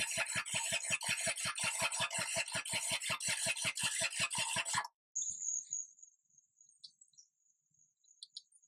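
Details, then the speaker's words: Kubota G5200 HST diesel mower sitting for years: steady starter cranking at about two compression strokes per second with no firing; diesel smell, electric fuel pump not heard clicking, owner suspects no fuel reaching the injection side. "Strange part was I smelled diesel fuel like she was trying to fire. that half throttle. That should be my shut off, right? I don't think I'm getting fuel to this part."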